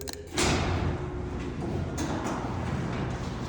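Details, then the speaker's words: Chamberlain garage door opener after lubricating the door hinges: steady low rumble with a start thump, no squeals or grinding; quieter and smoother than before lubrication. "See? It's quieter and smoother. That you can barely hear the noise."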